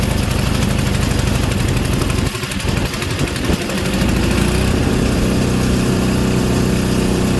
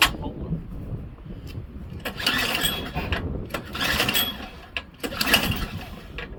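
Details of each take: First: Craftsman Series 2 snowblower bought at auction, after ignition points checked and continuity verified: a few uneven cranking chugs, then it catches and settles into a strong, steady run that fires cleanly. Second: Craftsman Series 2 snowblower bought at auction, choked: repeated pull-cord bursts spin the engine but it never catches or fires; no-start.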